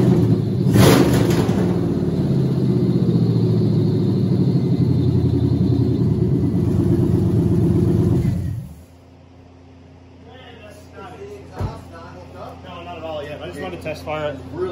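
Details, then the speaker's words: Rebuilt Cadillac Escalade LQ9 6.0 V8, ported 862 heads, 10.5:1 compression, LS6 cam, second test fire with all plug wires connected, no cooling yet: fires and holds fairly even deep idle before shutdown; initial test fire successful. "all right initial test fire was a success now i can hold on to water pump put some cooling in it"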